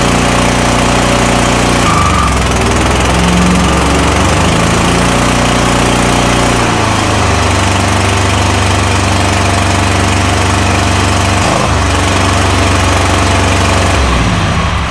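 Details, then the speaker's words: Toro Titan MX5400 zero-turn with Kohler Confidant 23 hp V-twin, bogs badly under load: uneven lumpy beat, hollow weak note, runs rough; not fuel related, one cylinder misfiring from a weak ignition coil. "This thing bogs down under a load real bad. It runs rough and overall it sounds very weak."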